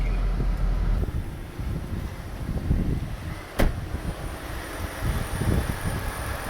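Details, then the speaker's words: 2014 third-gen Toyota Prius petrol engine idling after repair of previous knocking and rattling; low even hum with no knock or rattle, one stray click; normal idle. "this is EPS 2014 that was knocking didn't was knocking now it's not anymore you can hear it you carry it"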